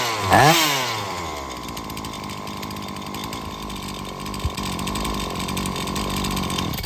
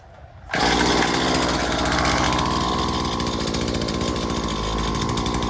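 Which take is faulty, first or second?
first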